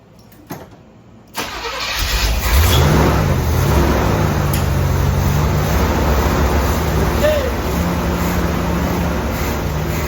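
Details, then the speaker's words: 1981 Corvette, sat 15 years, fuel added, first start, possibly flooded: short crank, fires promptly and revs, then settles into a smooth steady idle with no misfire or knocking. Normal start and idle. "Did you hear how smooth that thing sounded?"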